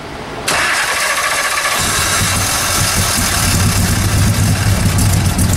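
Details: Shelby Daytona after sitting 3 months: long cranking, then it catches at a rough, uneven fast idle. Owners suspect the automatic choke isn't working.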